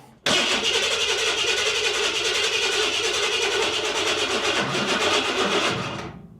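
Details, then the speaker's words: Big-block pickup, fuel prime turned all the way up: about six seconds of starter whir with no firing; battery voltage suspected of dropping below 10, fuel pump cutting prime with no fuel pressure shown; crank no start. "oh boy I think the voltage is dropping below 10 and it doesn't like it this little battery here she may not be enough"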